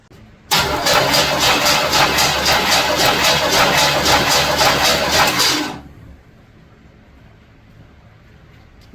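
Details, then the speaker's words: 1976 Chevy El Camino 350 during compression test: fast, even cranking at about four strong pulses a second with no lazy beats; cylinders six and eight strong; compression healthy. "oh my Lord that was two well and number six and eight Aren't Dead wow did you hear that that's some compression there"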